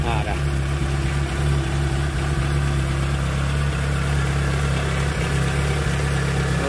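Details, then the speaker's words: Proton Wira after repair with the spark plug wires refitted (leaking ignition coil found earlier; it stumbled once warm after about 5 minutes' driving): engine idles smoothly with a steady, even hum, RPM needle stable, no shake when revved. "Okey. Enjin tak ada gegaranlah. tadi ada gegaran tau."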